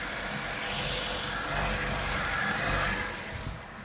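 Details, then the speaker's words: Acura TSX idling while the steering wheel is turned, after new power steering pump o-rings and clamps fixed a cold-start sucking noise: smooth, even hum with no whine or groan. Power steering pump now quiet. "all right so i'ma start off and the noise is gone"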